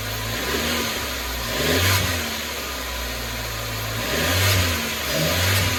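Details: Chevy (Geo) Metro after ignition system replacement: revs rise in short muffled, labouring swells, falling back unevenly; bogs under throttle, power loss worsening since fuel tank change, not fixed by ignition parts, cause unknown.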